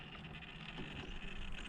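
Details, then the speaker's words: Traxxas TRX4 crawler with a Hobbywing 1080 brushed ESC whose PWM frequency was set to 16k: at light throttle only a soft, low gear-and-drivetrain rumble is heard, with no motor whine or buzz. "you don't hear anything just the actual truck"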